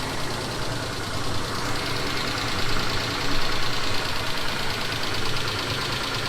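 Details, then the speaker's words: Mitsubishi Montero Sport 2000, 6G72 V6, cold start: steady low rumble with tapping from the top or side of the engine lasting 3-4 minutes, then gone; owner doubts it is hydraulic lifters; cause unknown. "Да, он стучит. Э-э, стук хорошо слышен в гараже, а иногда его можно услышать и снизу."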